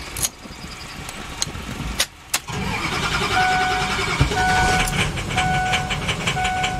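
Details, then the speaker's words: 2006 Ford E-450 Super Duty, 6.0 V8 diesel, after a failed starter was replaced: a few clicks and a pause, then a quick crank and the diesel catches into a steady clatter. Normal crank and start. "all right sounds better what do you think i think i think it might work"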